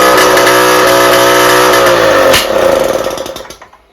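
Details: Rebuilt two-stroke cyclo (moped) engine held at full throttle after bench break-in: flat, strained drone never climbing in pitch, then dies away; exhaust choked, replacing it let the engine rev.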